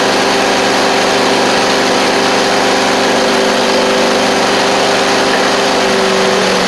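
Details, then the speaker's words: John Deere D140 riding mower, running after carb spray with the fuse-blowing issue fixed: a small single runs steadily with a busy, clattery top-end rattle over the exhaust note. The owner thinks it might need a valve adjustment; excessive valve clearance suspected. "might need a valve adjustment though"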